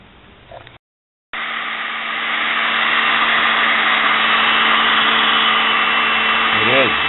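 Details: Sewing machine motor after cleaning and fixing its brushes spins up to a steady, even whine that holds pitch with no rattle or stutter; brushes seated better with running and spark less, a normal-running motor.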